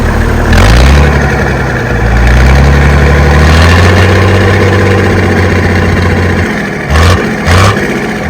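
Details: Ex-Australian Army International ACCO 6x6 truck refitted with a Perkins 6354 diesel, heard at the exhaust: deep, steady low thrum at idle with even pulses and a couple of blips; healthy, no misses or knocks.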